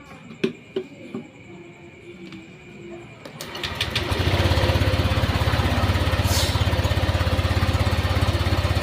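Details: 2016 Honda Vario fuel-injected scooter, water pump bolted up, hoses refitted and coolant refilled: a few clicks, then it starts and settles into a smooth regular idle.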